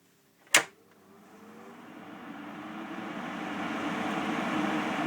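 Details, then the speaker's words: Xpelair 12-inch extractor fan with thick blue ABS blades switched by pull cord from low to high (full) speed: a click, then a strong rising rush of air with faint hum; normal high-speed running. "and that would be your high speed or full speed as it were again with all the XF models this thing does extract a lot of air"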